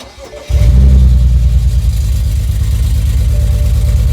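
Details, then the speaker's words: BMW 335i E91 wagon with N54 engine starting and settling into a lumpy, uneven idle from a really bad misfire; the code reads a cylinder 1 misfire, diagnosed by swapping parts between cylinders, with a failing ignition coil as the cause. "now we have a misfire let me show you what the car sounds like the misfire is really bad we need to diagnose what's causing it"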